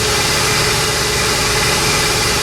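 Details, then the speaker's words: 1968 Chevelle Malibu V8 with Quadrajet carburetor: fast, even idle around 1100 rpm, too high. Timing reads advanced, possibly because the secondaries are engaged; a stuck needle and seat is suspected. "but that might be because the mechanical secondaries are already engaged because it was idling at 1100 rpm which is not normal"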